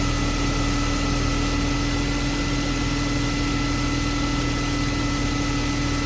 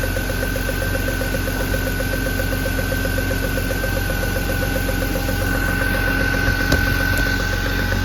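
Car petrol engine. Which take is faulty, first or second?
second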